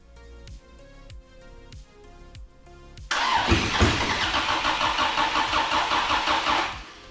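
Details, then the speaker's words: Toyota Corona race car with a swapped 3S engine, first start attempts: slow, even cranking about three turns a second, then brief rough noise that cuts off; cranks but won't run, no fuel coming through, no fuel rail connected. "No fuel's coming out of there. There's no fuel rail that hooks up to it."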